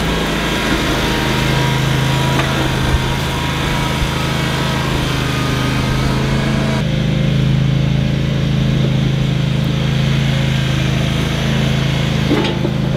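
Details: Toro Wheel Horse 522xi garden tractor that would not start after sitting four months; steady even drone at constant speed with no misses, surging or knocks. Normal running.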